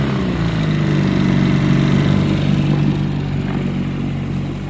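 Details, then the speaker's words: 1963 Evinrude 3 HP outboard idling with the cover off after the sticking carburettor float needle that left the bowl dry was fixed; even, steady low putter at about four beats a second, small two-stroke idling smoothly; normal idle. "Well, we finally did it. She's back there idling in the background, and much better than that first video when we had it running."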